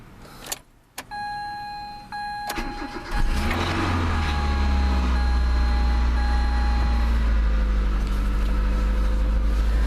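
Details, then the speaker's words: 1999-2001 Mazda Protege 1.6L after timing belt service: chime, short crank, catches at once into smooth even idle; new belt makes slight noise expected to quiet down; normal. "sometimes those timing belts will make just a little bit of noise when you first run them I hear that one just make just a little bit but that'll probably quiet down so good"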